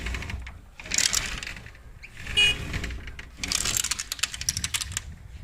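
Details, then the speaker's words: Sliding window gives bursts of rapid, sharp clicking clatter when pushed open, from worn, damaged rollers; it lifts about 1 cm to remove for repair. "Ya tenemos una ventana que hace ruido."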